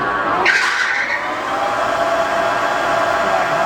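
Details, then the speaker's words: 33" x 120" Clausing Boravia engine lathe, test run after minor cross-slide rapid traverse repair and cleaning. A short high squeal as the spindle takes off, fading into a steady run; the belts slip briefly under the heavy starting torque. Belt squeal. "Belts squeal a little bit when it takes off. There's a lot of torque there"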